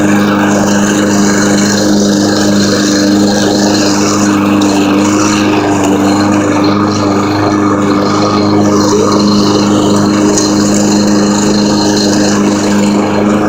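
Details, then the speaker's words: New Husqvarna all-wheel-drive pull-start push mower, belt-driven wheels: smooth, even engine drone at constant pitch with no misses, knocks or rattles; normal running. "Yeah, so yeah, so I'm going to start it up so you can see on how good it works, and how good the all-wheel drive works."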